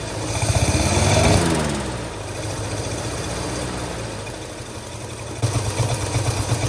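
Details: Long-abandoned 1948 Studebaker Champion flathead six idling unevenly on old fuel while warming up, with a recurring missed beat: at least one cylinder dead (No. 6 later confirmed), owner suspects an intake valve, puffing audible from the carburetor.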